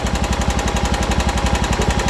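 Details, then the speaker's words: John Deere 240 single-cylinder, after carburetor clean: idle mixture screw turned in until it runs rough, lumpy uneven thump about twelve beats a second, lean; backed out quarter turns until smooth. "I just screw it in until it starts running rough like right there hear it slow down"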